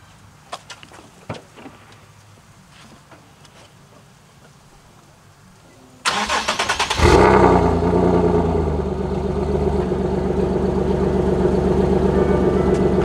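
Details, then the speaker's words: Single-turbo 370Z Nismo, already warm. Quiet clicks, then a sharp start with a brief flare that settles into a steady, even, deep idle. Normal start and idle, engine healthy. "so after a cold start and the car is already warm i promise you your tummy doesn't sound like this"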